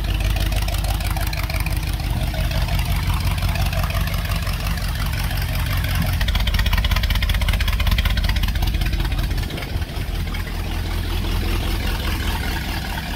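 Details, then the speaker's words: 1977 Dodge B200 van, 318 V8 with 727 TorqueFlite, new performance exhaust, first run: loud deep rumble settling to a steady, even idle with no knocks or misses, 50 psi oil pressure, alternator charging; normal idle. "oh that sounds amazing oil pressure and the sound of very pissed off armadillos"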